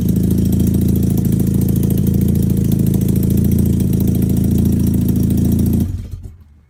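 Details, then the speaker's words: 13B rotary in a Factory Five 818, startup fast idle; front rotor had very low compression and was barely firing, rear fine. Lumpy, uneven idle with exhaust-leak-like puffs before shutdown, though no leak; rotor misfire from low compression. "The rear rotor was running fine, but the front rotor was probably barely firing, which is, it had a weird sound, almost like an exhaust leak, but it wasn't leaking exhaust."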